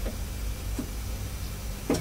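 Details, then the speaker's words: Hammond L 222 organ tonewheel generator, previously squealing, after 10 days of a few drops of sewing machine oil daily; low steady hum, no squeal, couple of faint clicks; normal tonewheel generator running. "as you can hear she spins like a kitten so I think dropping some oil in the generator did the thing"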